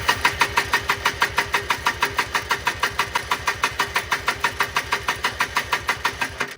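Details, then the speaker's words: 1995 Polaris Trail Boss 250 ATV, crank no start with bad backfires, choke partly pulled: rapid even popping bursts about three a second as it coughs and tries to catch; owner suspects flooding; sputtering start. "okay please start see if maybe pulling the choke a little [Music] more it's in Reverse what hi it's coming uh it's coming trying to make this thing go"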